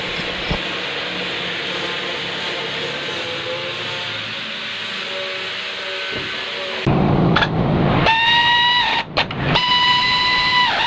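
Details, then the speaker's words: Mazda 3 variable-speed radiator cooling fan, after repair of fan that ran at varying speed and let heat rise, tested with AC on: steady even whoosh, no knocks or wobble; normal cooling fan operation. "හරි ඔන්න පෑන් එක දුවනවාට ඔයාට පේනවාදි පෑන් එක ලස්සනට දුවනවා"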